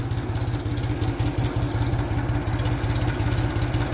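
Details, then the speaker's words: 1974 Ford 3000 gas three-cylinder tractor, revived after water-locked cylinders, new muffler: low even chugging about three pulses a second, no knocks or misfires; idling cleanly. "gotta love this little three cylinder hole works but it does run good"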